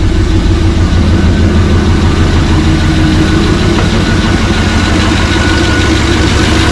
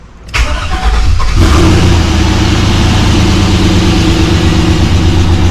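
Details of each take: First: First fire-up of freshly rebuilt 6.0 LS LQ4 with Summit stage 1 truck cam in a 1986 Suburban C20, not yet warm; loud V8 idle with an uneven puffing tick about three a second, an exhaust leak blamed on the muffler. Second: Rebuilt 6.0 LS LQ4 V8 with Summit stage 1 truck cam in a 1986 Suburban C20, first fire-up: short crank, fires at about one and a half seconds, then settles into a strong, steady, even idle with good oil pressure.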